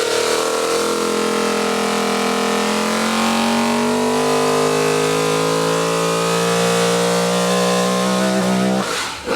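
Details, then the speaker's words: V8 Supercar race engine on an engine dyno, control camshaft, about 612 hp: smooth, even climb to about 7,500 rpm and holding clean there, no misfire or knock; healthy engine revving to rev limit. "maybe just if you wouldn't mind give that a little zang up to seven and a half have a listen to this"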